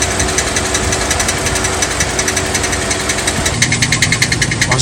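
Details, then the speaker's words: 2007 Chevy Suburban 6.0 LS V8 idling, gear engaged: rapid sharp snapping clicks about three a second from a cracked flexplate flexing on itself, dating from a rear main seal job a year earlier; flexplate nearly broken. "here because I want to note that noise you heard when the vehicle was running coming from the flex plate it's the metal or that fracture flexing back on itself making a noise similar to you snapping your fingers to make them pop but just at a rapid speed"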